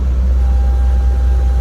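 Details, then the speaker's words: Volvo VNL 670 truck diesel at idle, no power loss; thin steady whistle and rush of air over the rumble, seemingly from the turbo, no broken hoses or loose clamps found; boost air leak at EGR bypass elbow. "got a vacuum leak somewhere I don't know where the whistle sounds like it's coming from a turbo and it sounds like it's coming from the turbo and the vacuum leak"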